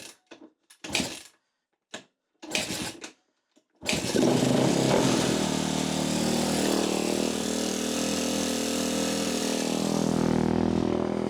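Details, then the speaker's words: 2013 Kawasaki KX250F, fuel-injected, that dropped a valve and had its head and valves replaced; the valve shims were not checked. After a stumbling start and with the idle turned up, it idles roughly with loud, fast metallic valve-train clatter. "I'm g have to take that back apart again. Um yeah, she's clacking around something wicked."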